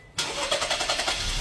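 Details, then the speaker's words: 2019 Holden/Chevrolet Equinox 1.5 L turbo direct-injection engine, towed in cranking with no start: with the exhaust camshaft position sensor unplugged, the starter whirs briefly and the engine catches at once into an even idle. It runs fine after replugging. "and this and the car starts see car starts runs fine starting and running fine now"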